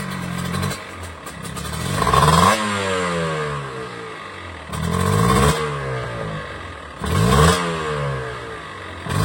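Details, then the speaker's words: Kawasaki Ninja two-stroke with a new standard B-size piston instead of the recommended oversize for its bore: repeated sharp revs with a light metallic clatter on each rise and fall; mild piston slap, judged within tolerance. "nah oke tadi Mungkin kedengaran ya ada bunyi kerja itu ya tapi emang segitu yaitu masih batas toleransi"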